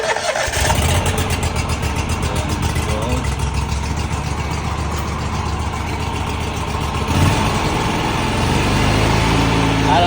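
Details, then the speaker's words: Third-generation Scag Cheetah 61-in EFI mower after drive belt replacement: brief fuel pump prime buzz, then the engine catches into an even chugging idle. Normal start, and the earlier grinding from a bad pulley is gone. "We're going to turn it on. You hear that? Uh fuel pump because it's EFI."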